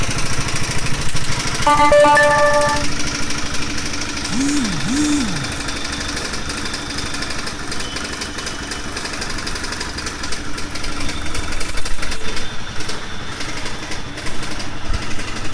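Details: Honda CBR 250R motorcycle engine idling: loose, uneven rattle of about three knocks a second over the running note; the cause is unknown.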